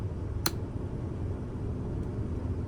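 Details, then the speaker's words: Pre-trip check: switch click, then a soft, steady low hum as the heater booster pump, which transfers water to the rear heater core, runs normally. "The booster pump transfer water to the rear heater core. So we're going to turn it on and you should hear a slight humming sound."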